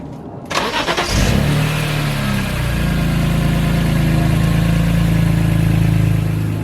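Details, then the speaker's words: E36 with S54 swap and E46 M3 exhaust from headers to muffler, engine somewhat warm: starts and settles into idle with a harsh raspy buzz in the exhaust note; exhaust section needs welding or replacement. "it still has a stupid recipe sound and instead of paying like I almost 60 or 80 dollars to get that fixed or welded I'm gonna take the money put towards the like aftermarket exhaust or something just get a different exhaust so I'm gonna start the car let you guys hear the sound which is kind of horrible well let's do"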